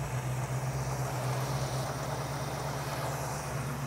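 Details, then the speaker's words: 1967 Ford Mustang with a carburetor and DUI ignition, after tuning with a vacuum gauge. Low, even, smooth idle with a steady beat and no misses. Idle is fairly steady on the gauge, though the idle screw is already off its stops. Normal idle. "our idol is fairly steady on the vacuum gauge i'm not crazy about where the idle is actually sitting"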